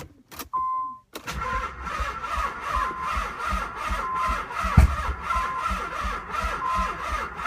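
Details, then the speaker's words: 1995 Nissan 300ZX, no battery fitted, cranked via heavy jumper cables; starter turns the engine over in steady, even pulses about three a second but it never catches: crank no start. "it's trying okay so it looks like the jumper cables make a difference"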